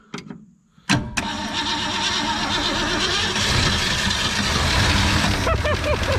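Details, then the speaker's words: 1964 Ford Fairlane first start after sitting, battery hooked up, coil and coil wire in question, carburetor not cleaned: quick crank, then catches cleanly and settles into a steady, even idle with no misses or knocks; starts and runs well. "Yep, she got to running really well. We think the engine is running good."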